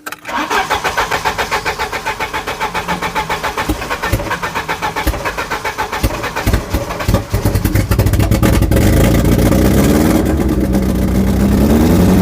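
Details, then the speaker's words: Volvo 740 petrol engine, first start in about 20 years after scrapyard rescue, weak battery: rapid even cranking for several seconds, then it catches and settles into a steady, smooth idle; healthy start. "She's alive."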